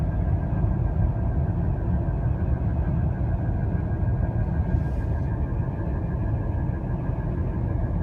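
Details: Acura TLX SH-AWD cruising on the highway: steady thin high-pitched whine over heavy road rumble, drivetrain whine with source not pinned down.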